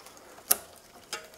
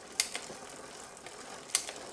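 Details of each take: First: Bicycle rear derailleur with the lower (L) limit screw backed off a quarter turn, pushed by thumb past the largest sprocket: two sharp metallic ticks as it catches on the spokes. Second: Bicycle rear derailleur after adjusting the high limit screw for a bigger gap from the highest cog; two crisp single clicks as the chain steps across cogs over soft even freewheel ticking; clean, smooth shifting.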